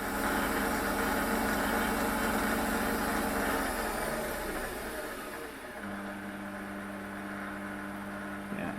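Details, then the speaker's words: Warco WM180 lathe running under power, with two belt-selected speed ranges of 50–450 and 100–2500 rpm: quiet, steady motor and gear hum with an even tone easing down smoothly; very quiet, normal running. "the first speed range is 50 to 450 and the second speed range is 100 to 2500 rpm but even flat it's not exactly loud"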